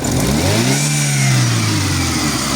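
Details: Chevrolet Aveo with cold-start backfire and slow starting (sensor signal being checked on oscilloscope): engine climbs smoothly from idle to a brief rev and settles back, clean and even, no misfire or stumble.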